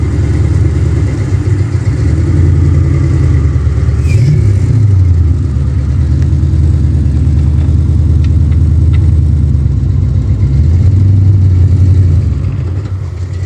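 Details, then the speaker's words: Ford Mustang Fox body V8 after a new Motorcraft starter solenoid was fitted: deep, even idle rumble with a couple of light throttle blips that pick up cleanly and settle back smoothly; it finally starts and runs normally. "That's what I call a freaking success right there."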